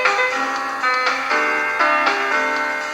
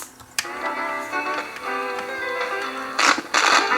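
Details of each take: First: Sanyo M7015 portable AM/FM cassette boombox after boiling its drive belts to tighten them: music plays at a steady pitch with no wobble, drag or speed drift; the tape transport sounds healthy. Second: Old Sanyo M7015 boombox cassette playing after long storage: tape music wavers in pitch once per belt revolution; wow and flutter from a flat-spotted drive belt, belt replacement planned.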